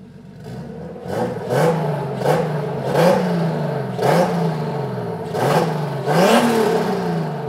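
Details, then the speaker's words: BMW E30 M50 turbo conversion on a plug-and-play Megasquirt KDFI v1.4 (MS2 v3.0), first start after the tune was uploaded. The engine catches and takes about six clean throttle blips, each dropping back evenly. It sounds like it should: normal running. "Did you upload the tune? Yes. It's now in. Now it sounds like it should."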